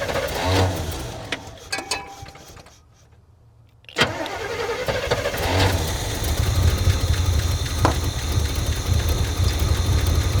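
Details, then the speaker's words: 1978–79 Chevy C/K20 4x4 V8 automatic, sitting about 15 years, started with fuel poured in carburetor and hot-wired distributor; after pause it catches and settles into steady even low rumble, no knocks; healthy start. "It runs. As long as there's fuel in the bowl. But it is running. Didn't sound like it had any crazy knocks or anything."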